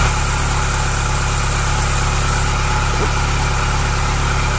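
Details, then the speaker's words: Ferrari cambelt check with the airbox off, stethoscope probe on the cambelt tensioner at idle: only a smooth, even hum with no rumble, grinding or ticking. Normal tensioner bearing. "I've just completed the check as you saw and everything is fine everything as expected is fine"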